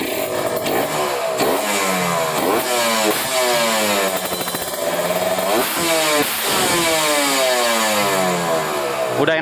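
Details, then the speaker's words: Kawasaki Ninja 150 RR two-stroke that had severe stuttering, after cleaning the dirty carburetor nozzle/jet (new spark plug had not helped): it blips up and drops back cleanly, pulling crisply to high revs with no hesitation. Healthy free-revving engine. "banget ya teman-teman jadi suaranya Udah lepas banget RPM atasnya juga enggak kekeringan ya"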